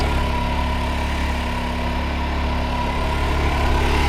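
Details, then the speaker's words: New generator on a 1996 Dodge van being prepped for a road trip, running the AC perfectly; a constant, even engine note holds steady under load without hunting or surging. It runs healthy. "So the new generator runs. It's running the AC perfect."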